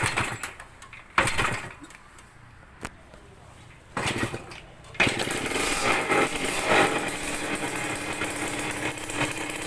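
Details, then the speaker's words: Yamaha DT100 two-stroke motorcycle started with the choke on, giving a raspy idle with sharp puffing ticks in time with firing; the exhaust header joint is leaking from loose nuts, later tightened. "เสียงเหมือนคอท่อตรงเนี้ยรั่วเลยนะครับเสียงเนี่ยคอท่อรั่วนะครับ"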